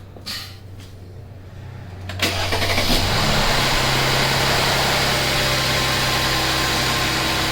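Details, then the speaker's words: Mercedes E350 with M276 engine, first start after new spark plugs and ignition coils (one coil broke and got stuck): brief crank, catches at once, smooth even idle with no misses or knocks, no smoke; runs properly. "it sounds perfectly fine any smoke no smoke"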